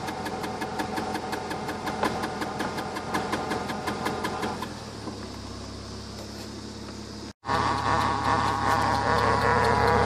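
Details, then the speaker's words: BMW E46 coupe, weeks after replacing flex disc, center bearing and transmission mount: engine running with regular rattling tick about three per second; new driveshaft flex disc bad, foreign object loose inside it. "Ended up being the new flex disc is bad. Yeah, there should not be anything in there like this."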